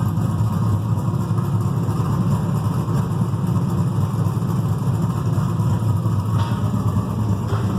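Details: Freshly built carbureted 6.0 LS V8, mechanical fuel pump, distributor, stock crank, rods and rocker arms, 10.48:1 compression, heavier pistons, solidly frame-mounted: steady even idle with slight lope, no knocks, ticks or vibration; normal idle.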